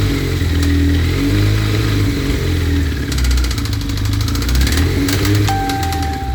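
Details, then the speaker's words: 1992 Suzuki GSX-R 1100 engine at steady idle: a fast, light ticking cuts in, stops and returns; intermittent top-end tick, cause not yet pinned down. "tu as vu, ça s'arrête, ça revient, ça s'arrête, ça Ouais. revient."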